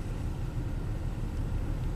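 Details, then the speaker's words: Low-mile 1998 Toyota Camry 1MZ-FE V6 with neglected oil changes and a flashing check engine light: low rumble in drive under load with an uneven stumbling pulse, a constant single-cylinder misfire, counters pointing at cylinder 4; it steadies in park. "Put in drive. Oh, there we go again. So definitely suspecting cylinder number 4."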